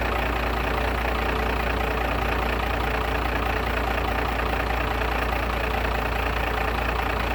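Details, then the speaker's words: Diesel truck with completely dead 12V batteries, just jump-started with a Harbor Freight Cen-Tech jump box: steady low diesel clatter at an even idle, with no stumbling or hunting. Normal idle after the jump start. "I definitely did jump it off things weren't the batteries are like completely dead because you know they are bigger batteries for a decent truck"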